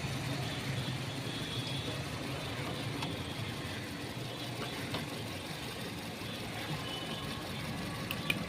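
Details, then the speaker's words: Volkswagen Vento 1.6 petrol engine idles with a low, uneven chug and knocking; cylinder 2 is dead and not firing while 1, 3 and 4 work, with the check engine light on and pickup issues. "देखिए एक number काम कर रहा है एक number हम लोग य चेंज हुआ था दो नंबर काम नहीं कर रहा दो नंबर खराब है"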